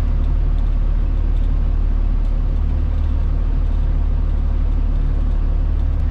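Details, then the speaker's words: Truck at idle after the front-end popping repair: the wheel is turned while stationary and while backing out of the driveway, and only the steady idle is heard with no pops or clunks, so the front suspension is quiet. "nothing while i'm just sitting here spinning the wheel [Music] nothing backing out of the driveway that one was usually pretty consistent"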